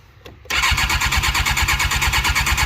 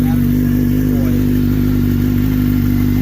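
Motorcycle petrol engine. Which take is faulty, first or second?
first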